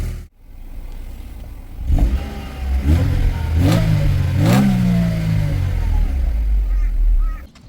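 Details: 1997 Mercedes SLK230 (R170) M111 supercharged engine after the fuel pump repair: several revs up and back down, pitch rising and falling smoothly with no stumble or miss; healthy.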